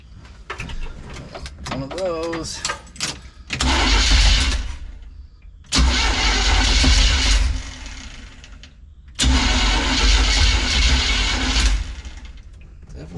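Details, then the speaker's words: Untested used Chevrolet Small Block 350 V8 freshly installed in a Chevy van, distributor not yet timed: long starter cranking bursts with no firing; no fuel apparently reaching, and timing suspected. "seems like we don't have any fuel at least none getting here Plus sounds like a timing issue as well which makes sense because we haven't timed it"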